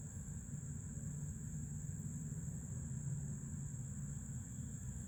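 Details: New Fluidmaster 400A toilet fill valve while filling: low rumble of flowing water with thin constant high-pitched whistle; noisy fill valve.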